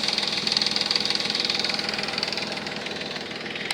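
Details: 3.5 Nissan Maxima at idle after Motor Medic flush and synthetic oil change: quick light lifter tick over steady idle, worst at cold start and easing after 20–30 minutes of running; flush did not cure it.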